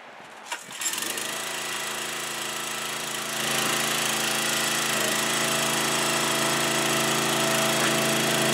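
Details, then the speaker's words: Huskee 22 ton log splitter small engine with a cold-start problem, owner suspects the fuel line drains; after a few pulls and feeding fuel it catches and settles into a steady, even drone with no misfires; runs fine once going. "because like I said once you get the hang of it and you realize that all you got to do is just feed some fuel into it and then it'll take off and after that it runs like a champ"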